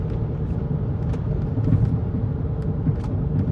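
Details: Rebuilt Chrysler 300C on road test after front wheel hub work: steady low road rumble, even and quiet with no rising growl; slight tire noise suspected from tire scooped while loose; hub growl gone, normal running.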